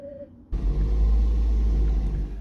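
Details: Second-generation Toyota Prius after replacing the dead 12V auxiliary battery: a quiet hum, then the engine fires with a low rumble and settles into a steady, even run. Clean, normal start.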